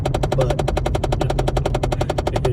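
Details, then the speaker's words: Car cabin while driving, climate control switched from warm back to cool: fast even dry tapping about eleven per second over low rumble; blend door actuator ticking, recurring until it subsides. "on the phone and it starts up we're like hold on it's happening and then we have to wait until the tapping subsides and then we talk again"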